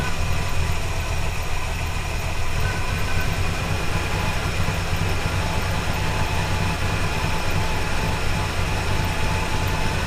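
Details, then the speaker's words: Classic Buick petrol V8 at roadside after distributor failure, idling with the PCV vacuum leak now plugged: smooth, even, deep steady rumble with no misses or hiss; normal idle. "All right, let's try that again with the enormous vacuum leak plugged. I can't imagine that might help it run better."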